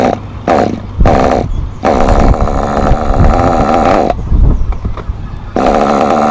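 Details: Thunder Tiger SSR 4WD nitro RC car, untuned, high-speed needle at default, cold: bursts and dies back in uneven burbly blips instead of a clean idle; too rich, throwing lots of oil from exhaust at idle; rich mixture idle.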